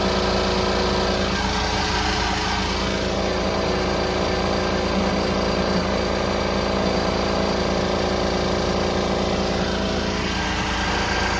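Diesel idles with a busy, uneven rattle a few times a second layered over the clatter, source below the bay unknown.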